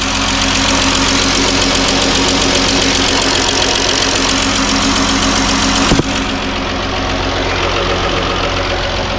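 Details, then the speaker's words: Jeep/Dodge/Chrysler 3.6 Pentastar V6 idling, valve cover removed: fast, steady metallic ticking from worn lifters/rocker arms, located toward the back; not to be confused with faint injector clicking. "Do not mistake that for the rockers that are clicking,"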